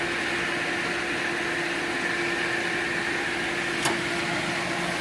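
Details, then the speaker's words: Pool heater combustion blower running freely with a smooth, steady mid-pitched whir, no scraping; after loosening by hand as a temporary fix for a fan lock error, it now starts on its own. Rust from condensation had made it stick under slight resistance. "fan will start up on its own before it was not starting up because it's spinning so freely right now it will spin it will start up on its own if it has even just a little resistance it won't"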